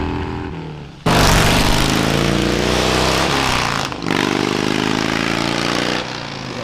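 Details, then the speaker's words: Dodge Dakota R/T V8 pickup with SRT Scat Pack resonators plus added Ram 1500 resonators: loud exhaust pulls hard with a buzzy, crackling rasp over the deep burble as revs climb; owner wants to remove the rasp and reduce drone. "I'm just trying to get rid of that little bit of rasp that it has, just clean up the sound ever so slightly."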